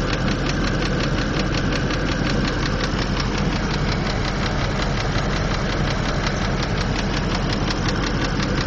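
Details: 2003 Land Rover Discovery II with an oil leak: sharp light ticks, about three a second, over a steady idle from the engine; Lucas oil stabilizer calmed it slightly, but it still ticks at rest. Engine ticking, cause unknown.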